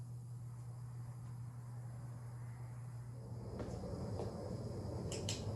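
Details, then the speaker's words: Hampton Bay Carriage House hugger ceiling fan, likely 1999–2000, with wall control, running on medium speed: a low, steady electrical motor hum under quiet room noise, a buzz noticeably worse than on low. "Now here's medium. As you can hear, the buzzing got a lot worse, somewhat."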